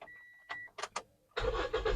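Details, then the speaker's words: Toyota Vios/Yaris engine start during a used-car condition check, engine bay clean with no leaks, radiator coolant full; a couple of clicks, short crank, prompt catch into smooth steady run; described as the typical normal sound, a healthy start. "oke nah jadi ini suara khas suara normalnya Toyota Vios Yaris dan e layaknya mesin-mesin yang lainnya ini adalah suara normalnya Vios normalnya Yaris dan mobil-mobil yang setara seperti itu"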